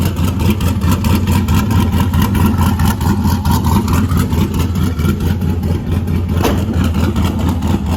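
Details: LS1 ute with new cam and upgraded Aeroflow 78/75 Gen 2 turbo and freer-flowing exhaust housing, idling in an echoing shed; loud, steady deep idle with even burble, louder than before; normal idle.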